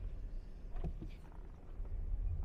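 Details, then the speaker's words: Geely Geometry electric car, right-side center drive shaft: on gentle pull-away, a dull clunk or two thuds from underneath over quiet cabin hum; not the lower control arm, cause was a broken, bent drive shaft retaining plate (factory fault). "现在起步它就很明显，你听啊，嘎嘎嘎。我现在慢点急踩，再起步肯定会有，是不是？有。"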